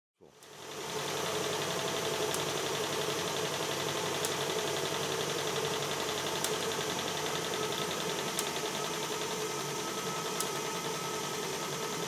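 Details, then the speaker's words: Stuart 7/8 model steam plant in steam on a very cold day in 2021: a soft, even chuff at about four beats a second at a steady pace with no knocks. It is running smoothly. "here is the Stuart 7 8 Steam Plant in Steam on a very cold day in 2021."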